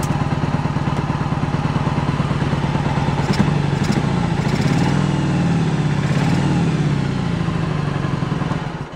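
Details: 1986 Yamaha Virago 1100, sat about 6-7 years, first start after fuel work, no choke: lumpy, uneven beat with loose clatter, one cylinder missing; low compression on that cylinder, owner hopes a tight valve.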